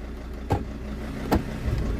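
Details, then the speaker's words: Mercedes-Benz W203 C-Class 270 automatic with shifter problems; a suspected gear selector module fault is being investigated: two sharp bangs about a second apart over a steady idle as the gears engage hard, cause unclear. "ok das knallt auch"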